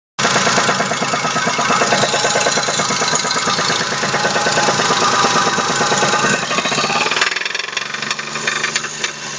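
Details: Daewoo Matiz 0.8: front crankshaft seal pushed out in frost, oil lost, main bearings spun; hard, regular deep knocking, roughly three a second, throughout; crankshaft main bearing knock.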